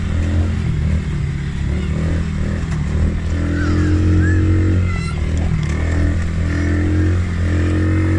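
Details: Polaris Outlaw 50cc quad after carb clean and blocked pilot jet cleared (previously overflow leak, no start), choke on lifting revs. Even buzz picking up cleanly on each throttle blip and settling back, no misses: normal running and revving.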